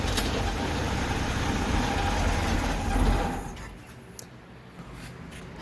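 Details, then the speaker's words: Carbureted engine, fuel delivery fixed, no longer smoking, temperature good: runs rough for about three seconds, then fades and dies. Won't hold idle when the choke is opened; carburetor has too much slop. "I can just about stop it in its tracks, and that's all with the choke on."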